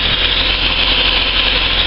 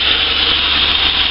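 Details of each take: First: Car just started from cold, running at a raised, busy high idle before it drops; the owner notes the idle dips too low once warm and after throttle blips, prompting a throttle body clean. Cause suspected, not confirmed. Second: Engine just started after a throttle body carbon clean, possibly disturbing the idle speed control valve; steady even idle sitting high, no misses or knocks, normal cold high idle expected to settle.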